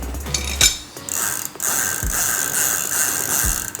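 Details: Bicycle freewheel/sprocket after servicing and retightening, slight play left as needed clearance: quick crisp even ratchet clicking as the wheel spins, no grinding or rough spots; freewheel sounds healthy.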